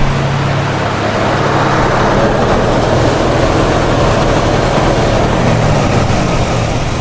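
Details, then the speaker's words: 1965 Ford Mustang V8 after work on the Edelbrock carb's blocked idle circuit, with choke linkage not yet reconnected: a steady, even idle with a smooth low rumble, and idle speed up with no adjustment since twice the fuel now flows. "that's not even any adjustments guys that's just idling so we've picked up quite a bit of idle speed which fig is because we giving it a lot more gas we double the amount of gas going down it"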